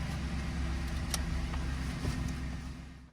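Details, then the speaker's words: 2011 GMC Sierra after replacing worn, wide-gapped spark plugs and wires, while driving: steady, even low rumble with no misfire or knock, purring smoothly. "Oh, that's... Ooh, it's running like a kitten. It's purring like a kitten now."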